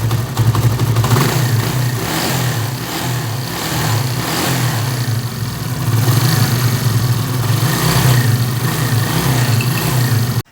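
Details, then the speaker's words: 70cc chain-drive bike after timing chain, tensioner and spring replacement: small single putters evenly at idle and light revs, only a faint upper-end tick left; timing chain noise gone. "इसकी हल्की-हल्की जैविक में आवाज है तो वह हल्की आवाज आ रही है लेकिन टाइम चेंज बासी व खत्म हो गए थे"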